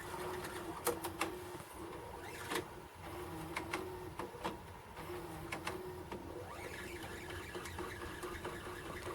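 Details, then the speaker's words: Used Sharp VCR under test, sounding a little tired and possibly needing grease or exercise: quiet whirring with a thin, steady squeal and clicks during fast forward. Owner suspects the tape is squeaky. Squeak during fast forward. "I wonder if that's just the tape being squeaky probably is"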